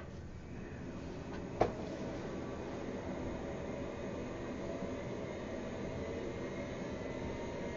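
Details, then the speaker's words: Thirty-year-old Amiga 2000 with a Fusion Forty 68040 CPU card and an added hard drive, booted after a long idle period. After one click there is an even, steady whir with a soft hum and no knocking or grinding. The drive spins up normally, though slowly. "you can hear the hard drive spinning that's a good sign it doesn't always happen coming up parked or something"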